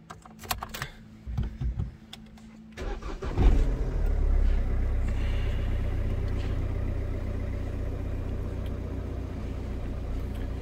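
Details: 2002 Opel Corsa 1.7 CDTI diesel, which stalled and wouldn't restart when hot (90°C), with P0251 and unstable idle; start after resoldering repair: a few clicks, quick crank, then catches and settles into a steady even idle without hunting; normal.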